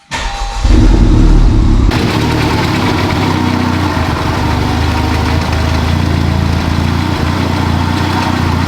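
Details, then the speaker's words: 2021 Honda Civic Type R, totaled and rebuilt with a rebuilt transmission, first start after the CV axle install: the engine catches and settles into a lumpy, uneven, stumbling idle like a misfire. The owner suspects it is mistimed; the scan shows MAF sensor and PCM codes. "That don't sound right. It sounds like it's mistimed or something."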